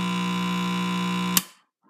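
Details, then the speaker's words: Late-1940s Trav-ler tube radio with Loktal tubes, powered through a dim bulb tester before its recap: steady, buzzy 60 Hz hum that holds until switch-off. The old electrolytic capacitors are due for replacement. Mains hum. "this has a genuine 60 Hertz hum as I like to genuine"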